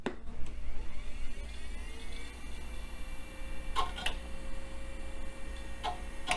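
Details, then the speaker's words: Compaq system, first power-on after dedusting and refresh: low hum with sharp irregular clicks and faint whirring from a sick hard drive whose heads seem to stick and unstick, though it posts and boots. "the hard drive sounds awfully ill and we are posting yeah that thing is awfully ill although it is booting"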